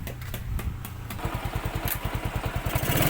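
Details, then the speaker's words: Yamaha Mio carburettor automatic scooter after engine rebuild with new cam chain, conrod, camshaft, tensioner and piston, oil circulation checked: even, steady single-cylinder exhaust thumps, no knocks or rattles; normal smooth idle. "Motornya sudah halus karena kamrat, stang, loken as, templarnya sudah diganti ya."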